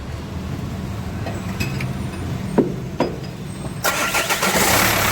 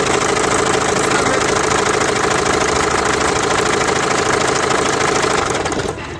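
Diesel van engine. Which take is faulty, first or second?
second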